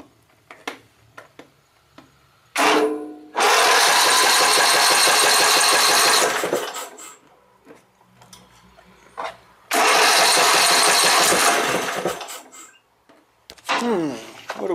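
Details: Newly acquired Exmark Viking mower, 24 twin engine, at throttle-up start attempt: faint irregular clicking, then two long cranking bursts that never catch; owner suspects it isn't getting fuel yet.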